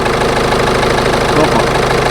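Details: Ford B-Max that would not start in winter, now idling after battery work, alternator charging at about 14.25 V; steady even idle, no knocks, misses or whines; normal idle.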